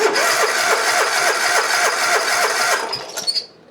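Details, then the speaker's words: Hustler Raptor zero-turn with Kohler engine, after bad new solenoid found, primed with 50:1 mix, full throttle: even cranking at about three and a half beats a second that never catches; seems to have compression, likely no spark. "All right, so we probably, it sounds like it got compression because I can hear stuff. It probably ain't firing."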